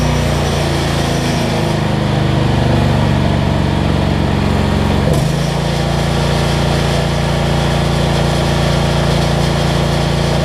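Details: Generac 7500EXL generator that shut down after 3-5 seconds, fixed by unplugging bad low oil switch and slowing throttle speed, under ~1500W heat gun load, needs choke: hunts briefly then settles steady; idle control much better.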